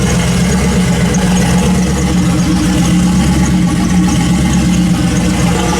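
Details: Built turbo LS V8 in 1974 Chevy Caprice after Holley dual fuel pump upgrade, no fuel leaks, fuel pressure showing; deep steady idle with firm even beat, no stumble or surge; healthy.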